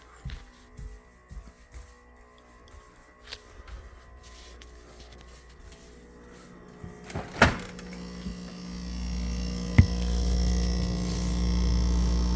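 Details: GE French door fridge, model GFE28GMKES: after quiet handling, a very loud, steady, deep buzz starts and holds, audible across the house. Cause unknown.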